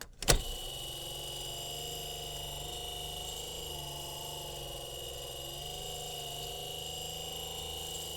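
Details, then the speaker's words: 1960s Granada VT-800 5-inch reel-to-reel tape recorder on rewind: steady motor whir with high whine and slowly wavering pitch, labored; rewind motor struggling, needs lubrication, other faults possible. "As you can hear, the motor's uh struggling there for for the rewind. Uh again, it needs lubrication, and who knows what else."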